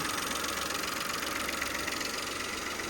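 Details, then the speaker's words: 2017 Peugeot 2008 GT Line at idle on first start after a wet timing belt change: rough, slightly uneven idle with a regular hiss and tick. Owner suspects a vacuum leak from a pipe, or a plug or sensor left unplugged. "but um yeah sounds like a vacuum leak maybe it's a pipe maybe it's a pipe"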